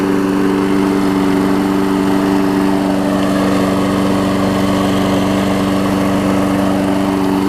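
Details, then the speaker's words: 22-year-old 5hp Briggs engine on a 2014 Weed Eater push mower deck. A steady, even idle with a constant low hum and no knocks, misses or hunting; the older engine runs good. "it didn't have the older engine on it, even though this older engine runs good, it might be $100 more, but I'm going to list it for 80."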